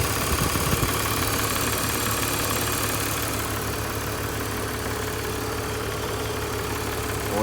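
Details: 2005 BMW 330i ZHP back running after sitting 15 months, oil changed, air meter clips refitted: steady, even idle with a smooth low hum, no ticking or knocking, temperatures good, oil cooler not leaking; normal idle.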